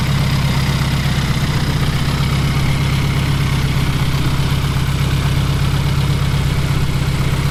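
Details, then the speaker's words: Fiat Coupe 16V turbo after a new coolant temperature sensor and GFB blow-off spring: a low, lumpy idle at about two to three pulses a second with no steady rhythm; it ran a little better but failed the MOT, cause unknown. "But still, after all these replacement parts, no luck. The car ran a little better and I even got it to the MOT station. But it failed."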